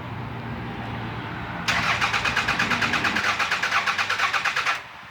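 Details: 2001 Toyota Camry after core support removal, wiring repair and new radiator: starter turns over evenly at about three pulses a second for three seconds but the engine never catches; cranks, no start.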